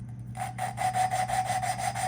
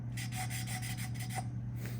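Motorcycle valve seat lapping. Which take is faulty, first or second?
first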